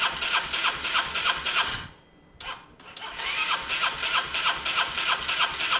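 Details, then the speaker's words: Honda SH125 scooter cranking, with ignition timing possibly set wrong: fast, even cranking at about three chuffs a second, a brief kick or stall mid-crank like compression lock, then cranking resumes without catching. Crank, no start; cause unconfirmed. "uh that was interesting guys there was some sort of kick there was some sort of kick something"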